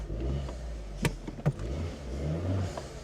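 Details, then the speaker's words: Abandoned Vauxhall Corsa, previously misfiring but now not, driving with a newly fitted open air filter: loud throaty intake roar under throttle with a few sharp pops. "So I had an open air filter and I put it on the car and we've just gone for a drive to see what it sounds like."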